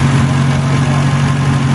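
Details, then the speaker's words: 2002 with an M10 engine, stored three and a half years and possibly rebuilt in the 2000s, idling: smooth, even low hum with no knocks, ticks or misses; a normal, healthy idle. "but it actually might have been built built up in the 2000s but this thing is just current man it's turned like a kitten"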